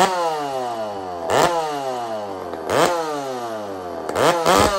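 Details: Two-stroke chainsaw fitted with an aftermarket muffler during a muffler test, on cold start: revving in bursts about every second and a half, spluttering and uneven, smoking a bit until warm.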